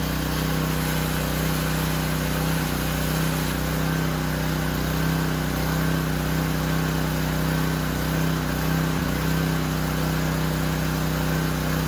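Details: Discontinued Power Stroke 2200 PSI pressure washer, cold-started with the fuel line reconnected: a brief surge at start-up, then a steady, even drone at constant pitch, running far better than before.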